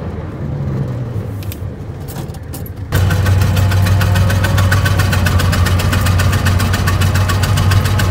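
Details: 1920 Ford Model T barn find, sat about 10 years, first start after carburetor cleaning and points work, hand-choked: after cranking, lumpy uneven low chuff about four beats a second on only some cylinders while timing is adjusted; misfire from stuck valves.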